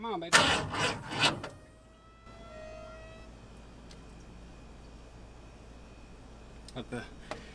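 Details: 1950 Ford F1 after years sitting in a barn, with carb cleaner sprayed down the carburettor throat: catches with a few ragged, loud pops for about a second, then dies; runs only on starting fluid, carburettor to be cleaned.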